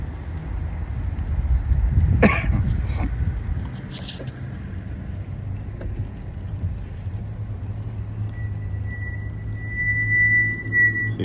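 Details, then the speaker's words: 2008 Lexus GS350 at low speed: a steady high-pitched squeal rises over road rumble, a backing plate ringing against the rear rotor; brake squeal. "See, I hear that noise. Oh man, it's terrible."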